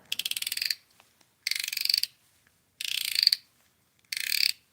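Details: Daiwa Tatula SV 100 right-hand baitcasting reel with a newly installed aftermarket drag clicker from China: four short bursts of rapid, crisp high-pitched clicking as line pulls against the drag; clicker working properly.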